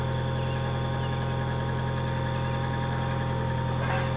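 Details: 1996 Nissan 2.4 after no-spark repair, running for scope capture: even, steady idle with smooth low drone and faint high whine, no stumbles; runs properly with spark restored.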